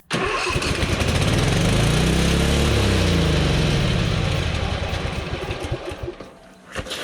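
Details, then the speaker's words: Husqvarna Z246 zero-turn mower engine after a governor adjustment: it fires, races up to a high screaming speed, then runs down; adjusted the correct direction to speed it up but far too much. "We went the correct way to speed it up, but we went way too far there."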